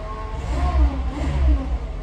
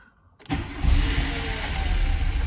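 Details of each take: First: VW Golf after petrol pump replacement, pump audible with the cap off: it starts and runs as it should, with deep, even engine pulses and light throttle blips, no knocks or rattles; normal running. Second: VW Golf after fitting a new petrol pump that primes audibly: starter cranks, the engine catches and runs roughly for a few seconds, then stalls, no better than with the old pump.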